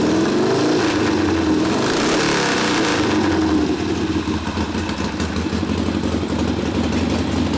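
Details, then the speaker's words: Rebuilt 1972 Harley Sportster XLCH Ironhead after case repair, brand-new rings, starts in four easy kicks: crisp, even V-twin firing with slightly fast idle and steady beat, ignition working well, no misses or knocks; normal running. "put a little load on it it's nice and crisp ignition obviously working pretty nice yeah firing nice and crisp starting up easy"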